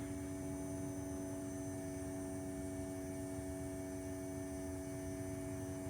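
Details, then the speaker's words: 1962 Ford Falcon electric fuel pump, after adding 1.5 gallons of gas and refitting the fuel bowl: a steady electric hum with a fixed whine and no change in load. Not yet priming or picking up fuel. "Doesn't sound like we're priming."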